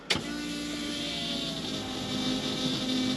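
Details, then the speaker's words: With the key on, reference pump sound: only a faint, steady, high hum, barely above background; a quiet, healthy fuel pump prime. "So that's how mine sounds."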